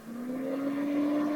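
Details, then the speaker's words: Mosquito Magnet propane mosquito trap, mic placed right near it: after a failed ignition attempt (clicking, no lighting), its small fan hum climbs steadily back up to full speed while waiting to see if it shuts down. "fans gone up to speed again we're just waiting now to see if it's just going to shut down"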